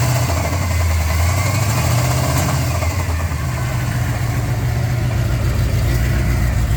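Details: Chevrolet Z28 with a 400 V8 idling: irregular low knock over the rumble, roughly three beats a second; owner suspects rod knock, unconfirmed.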